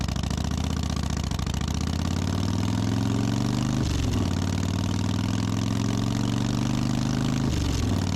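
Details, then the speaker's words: Harley Softail after cleaning the dirty carb enricher circuit and refitting the original intermediate jet, which cured a suspected miss or fuel problem: steady, even, lumpy V-twin idle with two brief blips, no stumble or misfire. "put back in the intermediate jet that I had in there originally, and what do you know? Ran great. No issues, no problem solved."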